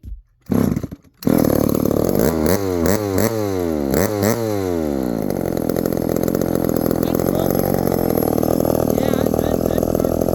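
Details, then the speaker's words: 1972 Remington small two-stroke after repair and idle adjustment: pulls over, then settles into a steady, even buzzing idle without stalling or surging; healthy carburetor idle. "well she's definitely idled pretty well I I got her idled a little bit more"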